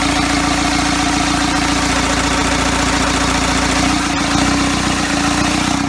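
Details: Diesel engine from a first-ever engine build (custom motor mounts) at its first start, given extra fuel to fire: slow, lumpy idle around seventy-odd beats a minute that sags and barely holds; idle set way too low.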